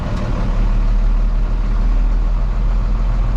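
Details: 1995 International 4700 dump truck, DT466 diesel, after Spicer ES43-5 transmission rebuild and reinstall, shifter back in for test: steady deep diesel rumble, even beat, no knocks or grinding; running smooth and healthy.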